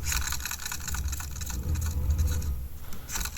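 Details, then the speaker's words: 1984 JVC HR-D725EK (Ferguson 3V43) VHS Hi-Fi VCR; irregular scraping and rubbing over a low rumble, suspected rotary transformers grinding, seeming to improve as the head drum is spun; unconfirmed. "It sounds like we've got the rotary transformers maybe grinding away."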